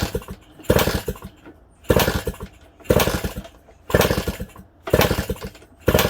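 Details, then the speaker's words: Suzuki DS100/DS80 dirt bike kick-started with choke on after priming the carb: bursts about once a second, each a quick chuff that never catches; seems low on compression, ignition dead with no spark, so it won't start. "All right, no sparky. And that's our problem. No spark."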